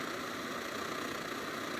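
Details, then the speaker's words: Newer (circa 2014) SVEA 123R stove, previously prone to flame pulsing, fully warmed up after repairs: an even, steady hissing burner roar with no pulsing. "Yeah, it's settled down pretty good now. You're not getting any pulsing at all. So now that's really warmed up good."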